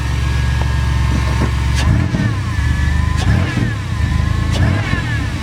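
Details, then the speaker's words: Chevy Astro after a new throttle body; before the repair it stuttered and stalled when given gas. Idle, then three quick blips that climb and fall back cleanly without stumbling; throttle now much more responsive. "Oh my god. Oh my god, it's so much more responsive now. Holy shit. Before, when I had hit the gas, it stuttered and it stalled, like I was telling you guys in the one video."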